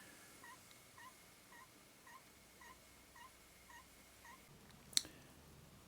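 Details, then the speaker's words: Technics RS1500 reel-to-reel tape deck during service: faint regular high squeak about twice a second over quiet mechanism hum, something rubbing or a dry bearing suspected; rewind noisy, brake band possibly not releasing. "it's got a bit of a squeak coming from somewhere so either something rubbing or a bearing that's a bit"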